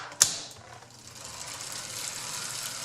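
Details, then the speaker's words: Dry, worn bicycle chain under pedaling: hissing rattle, borderline squealy on some links under load, noisier in cross-chained gear, costing at least 5 watts; looks lubricated but running dry. "squealy yet, but borderline, and depending on how much load is placed on the chain, just some of the links might be squealy for a fraction of a second."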